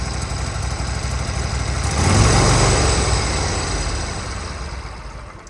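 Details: Walker walk-behind mower with a 23 hp Kohler engine, after fixing bad wiring harness connections that cut power to the coil and caused a crank-no-start with no spark: the engine picks up, holds about four pulses a second and runs cleanly.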